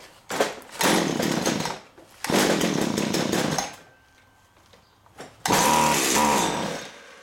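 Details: STIHL weed whacker running only on gas poured into the cylinder: it catches in short one-second bursts and dies each time because the carburetor fuel pump isn't feeding; fuel line looks damp and leaking, pump to be removed and cleaned.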